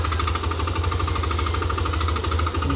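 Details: Yamaha Aerox v2 scooter idling with a rapid even clatter over the engine beat, louder than a healthy idle, noisy engine, source not identified: abnormal engine noise at idle.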